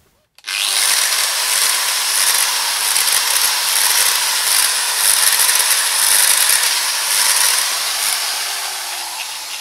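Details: Bosch GWS 1-125 angle grinder with new original brushes, fitted after the brush cut-off fuses tripped, and intact armature windings: it screams up to speed with heavy sparking, rough crackling, and jerky surges from a wavy commutator.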